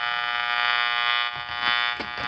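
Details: Channel Master model 6505 five-transistor AM table radio under repair, with bad capacitors being found: a loud, persistent high-pitched buzz with soft bumps underneath; cause unknown. Buzzing noise.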